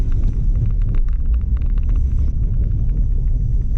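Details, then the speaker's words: Mitsubishi 3000GT VR4, first drive after sitting over two years: low road rumble with scattered scraping clicks coming and going as the car rolls; heavily rusted brake rotors rubbing the pads. "brakes are extremely rusty so those are noisy oh yeah sounds awful with all the rust on the brakes and"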